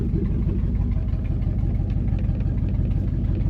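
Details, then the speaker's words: 1973 Mercury Montego GT, 400 cu in Ford with C6, revived after sitting 10 years, with glasspack exhaust, good oil pressure and a floppy belt: deep, steady, throaty V8 burble with even firing. Normal idle. "hell yeah out sitting there idling we just bought us a good one folks"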